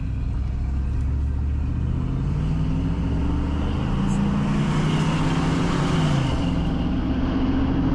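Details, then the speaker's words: Grandpa's old V8 truck, driving with new exhaust, coolant still warming up, oil pressure 60, about 70; deep smooth rumble rising and falling with speed, no knocks or rattles; normal exhaust note while driving. "Hear that sweet sound? I think you'll like it. And the motor runs pretty good, really."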